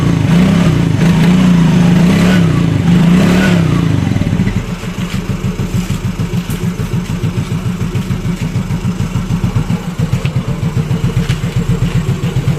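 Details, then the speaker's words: Yamaha Mio Fino 125 fuel-injected scooter that won't hold idle, before repair: revs drop to a slow, uneven putter of about four beats a second, barely holding on; idle too low and stalls, faulty idle speed control (ISC) valve. "Nah jadi untuk langsamnya motor ini itu seperti itu ya teman-teman eh Jadi kalau misalkan ngelangsam pelan ya terus ee nanti bakal mati ya jadi enggak langsamnya itu enggak normal ya terlalu kekecilan ya"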